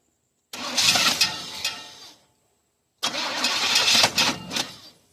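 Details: 1986 Chevy K5 Blazer after a starter replacement, timing setting and a newer carburetor, with the gas pumped. Two long, fast cranking bursts with no firing; cranks but won't start, and the owner suspects it may be flooded.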